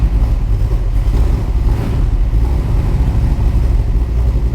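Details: Superformance GT40 with Roush 427SR V8, started in neutral right after an oil change while still about a quart low; deep even exhaust rumble with steady lope, strong exhaust airflow, no ticking or knocking; normal V8 idle.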